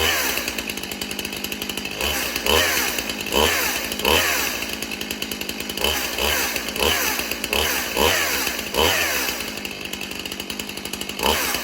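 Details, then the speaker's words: Stihl MS361 Farm Boss chainsaw, 20-inch bar, chain on the wrong pitch sprocket, not held wide open to avoid damage; short rev bursts with a harsh rattling chatter over the engine from the chain riding a mismatched-pitch sprocket. "You You hear You hear that loud noise? Do you hear that? That is the wrong sprocket that chain is setting on. That's why I don't want to hold it wide open because it'll mess something up."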